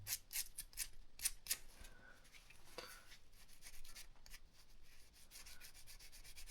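A dry, freshly cleaned small bearing gives a gritty, rasping hiss as the balls roll when spun by hand.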